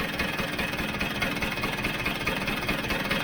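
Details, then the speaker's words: Vespa GS150 two-stroke, warmed up, cowling off, after carburettor adjustment: ticks over at a steady, even rate without hanging or dying away. The idle is settled and healthy. "quite happy that that's kicking over it's not hanging it's not running"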